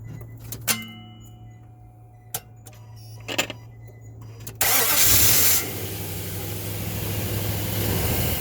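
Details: 2005 Nissan Titan random no-start despite new positive and negative battery cables, starter and ECM relay: a few dry clicks with no cranking, then it catches and runs; owner suspects the IPDM or ignition switch.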